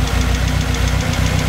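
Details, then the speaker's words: Toyota AE86 Trueno with a 4AGZE turbo engine awaiting rebuild, warm-up after long parking, with blow-by smoke to the catch can: a quick, even light tapping over a steady idle rumble; the owner suspects something is wrong, cause unknown. "so you can see some smoke over there and there's one tapping noise you can"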